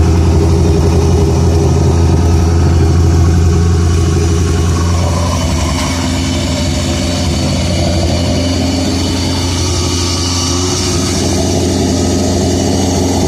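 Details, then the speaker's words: 1985 Shelby Charger revived after decades, with a new injector wiring harness. The engine holds a fast, even idle well above normal and never settles: high idle. "But it's definitely idling high. Oh yeah, she's idling good and high."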